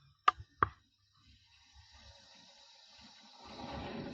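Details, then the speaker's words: Zone valve on a heating system switching on as it should after 230V applied to heating switch live: two quick dry clicks, then a faint hum as the motor drives over. "There we go. Don't know if you heard that on camera. That's come on. So now we're going to get heating flowing through that as well."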